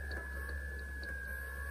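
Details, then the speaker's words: Iomega MDHD1TB-UE USB hard drive (circa 2009, 13 years old) not recognized by a Mac, heard in its enclosure: faint repeated clicking about three per second over a steady high whine; motor failure suspected, root cause found to be a faulty power supply. "My Mac also failed to recognize the hard drive, and on closer audible inspection, I hear a clickering noise emitted from the drive."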